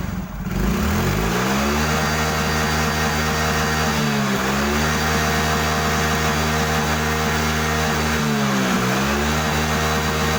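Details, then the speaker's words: Yamaha Mio J 115cc scooter after injector cleaning (previously hesitated and died instantly when throttled): engine starts immediately, revs up and settles back cleanly several times with no stumbling or misfire; normal idle and smooth revving. "Oke teman-teman, kalian bisa dengar bagaimana suara mesin dan bagaimana performanya saat digas. Jadi semuanya berjalan lancar, sangat lancar. Mesinnya langsung menyala dan merespons dengan cepat saat digas."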